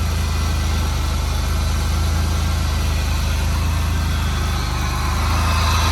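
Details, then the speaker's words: 2004 Buick LeSabre after repairs, with codes erased: a steady, even low idle with a smooth pulse and no chugging or shaking, idling about 200 RPM higher than before; a normal, healthy idle. "It sounds a lot better, actually. It's not chugging or shaking. Idling about 200 RPMs higher than where it was."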